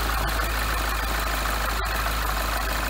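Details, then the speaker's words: Freshly rebuilt 2012 N14 Mini JCW Coupe idling just after its first start. Steady, even low hum with no ticking; the hydraulic lifters and valve train are quiet. A normal idle. "as you could tell on this it's already around the hydraulic lifting because there's absolutely no little noise in this car"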